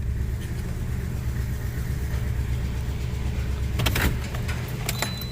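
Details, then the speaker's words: 2009 Toyota Matrix 1.8L idling after dealer timing chain tensioner and spark plug work: low lumpy uneven rough idle, hard starting; scan shows current misfire on cylinder 1. "oh it's really rough guys this feels like a misfire she said sometimes it's hard to start too"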